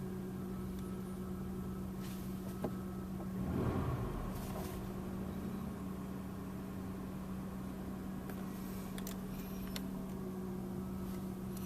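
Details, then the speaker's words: 1994 Buick Century after replacing the fuel tank sending unit and pump with a cheaper stock-style pump: a quiet, even idle with a constant mid-pitched pump hum. The new pump is louder but the car runs fine. Normal idle. "the downside of the cheaper pump it's louder a little bit of nois is no problem I actually like it when I get in this thing and I uh fire it up it's I can really hear that pump go"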